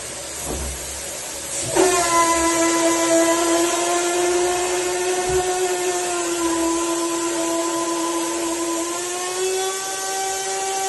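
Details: Hansgrohe Raindance shower pipe head under running water: a loud, steady whistling hum over the water's hiss that may stop at lower flow and persists after vinegar cleaning.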